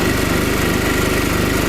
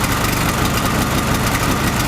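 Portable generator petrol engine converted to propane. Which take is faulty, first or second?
first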